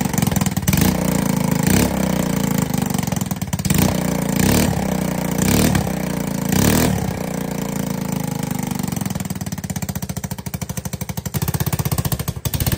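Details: ATK 125 go-kart, small single with a homemade welded muffler: loud, sharp popping exhaust note rising and falling with throttle; the muffler's back pressure pushes fumes out an exhaust leak at the manifold, and the owner believes fixing it will quiet it further.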